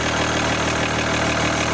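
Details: 2013 Jeep Grand Cherokee 3.0 CRD V6 diesel idling with steady, even clatter, no misses or knocks, on jacks after a flat battery, during power steering pump replacement and refill before turning the wheel; engine healthy.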